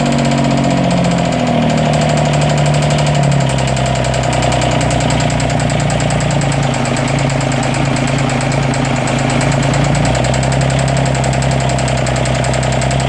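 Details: 332 diesel at idle: uneven running with an intermittent misfire and a loud clicking over it. The owner suspects a head gasket leak among other problems; the cause is not confirmed.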